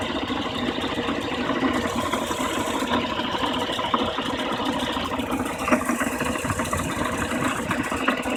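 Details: BMW E36 316i with M43 engine at idle: steady idle with a faint light ticking over it; unusual engine noise, cause not clear.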